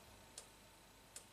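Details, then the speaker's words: 2008 Saab V6 turbo, key on, cylinder 5 injector control wire grounded with a test light as a known-good reference: two crisp sharp clicks; injector opens normally (cylinder 3 driver in engine computer found faulty). "let's start with a known good so cylinder number five if I ground it out look at the scope you hear a click"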